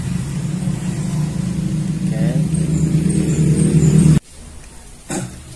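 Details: Jupiter Z small single-cylinder engine after teardown and reassembly: steady low, even thrum with fast regular firing and no knocks, then a sharp cut-off; engine runs clean, normal running.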